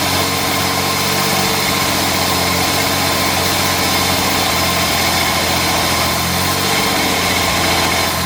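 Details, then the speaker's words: Jaguar MKII, start after carburetors removed, cleaned and refitted (ran beautifully before), with a different gearbox fitted: loud, busy idle with an uneven, lumpy beat; owner hears a backfire and a misfire and suspects the timing is off or not all cylinders firing. "jeez this isn't easy I've only got two arms that sounds like it's misfiring"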